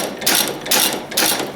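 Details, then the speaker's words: Antique engine after priming, with the spark plug wire checked: regular, evenly spaced clattering bursts about twice a second with no stumbling; the engine is running normally. "Nice. Got one running anyways. That makes me happy."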